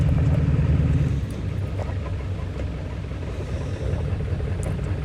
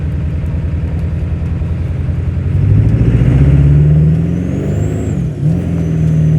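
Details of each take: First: 1997 Ford Powerstroke diesel with hard starting, after about 20–25 minutes running and on the road: a heavy low rumble with an uneven pulse around three a second. It runs a bit better but still rough, then runs perfectly after hard highway acceleration; cause unknown. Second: 1997 Powerstroke diesel truck with a hard-starting problem, after being driven hard on the highway: a deep, even drone that rises and settles smoothly with no misfire or stumble. It is running perfectly now; the owner doesn't know the cause.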